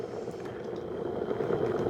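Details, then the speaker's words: Second-hand electric kettle filled very full with citric acid water for descaling: steady rolling boil, bubble and hiss, no spitting, no leaks; slow boiler but works fine and clicks off. "It's certainly got some bubbling action going now, which will clean it up inside very nicely."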